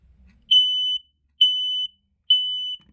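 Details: Three loud high beeps, each about half a second, roughly one per second, then silence. A Kita 0918 ionization smoke alarm mounted by a fire extinguisher, giving a normal test pattern.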